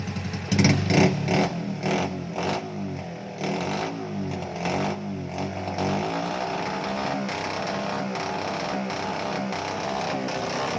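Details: 110i motorcycle, fuel pump and injector already replaced, no fault codes: revs up then stutters in choppy bursts near the top, settling to rough idle; misfire at cut, mechanic blames ignition system, spark plug and pickup.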